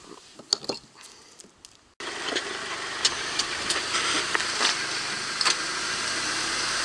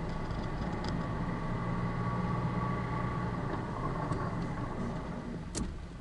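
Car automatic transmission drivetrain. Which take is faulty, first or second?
first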